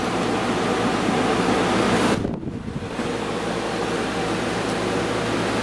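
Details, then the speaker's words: Window air conditioner with three-speed fan, switched up to high; steady smooth air rush with brief dip on switching, more noise from outside part than inside, cover vibrating slightly; cools quickly, pretty quiet, running normally. "even on high it's pretty quiet you get more noise coming from the outside part than uh the inside [Music] part"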